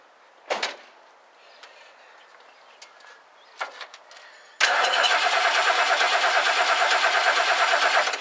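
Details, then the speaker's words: 1969 Lincoln Mark III during a major tune-up, after a new coil is fitted; points are suspected. The starter churns steadily at about three beats a second for four seconds with no firing or catch: cranking but no spark. "right there's no spark yet so I think we're gonna have to uh diagnose it probably uh some points"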